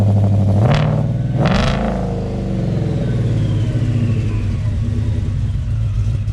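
Two quick, sharp throttle blips climb and fall cleanly, then it settles into a deep, steady idle; healthy supercharged V8.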